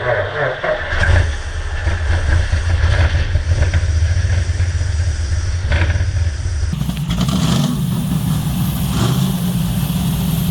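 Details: 1970 Dodge Charger, 640 hp Mopar stroker V8, carbureted, annual cold start after sitting: uneven rumble, revs pick up around seven seconds, still running rough; a sticking carburettor float (rear) suspected.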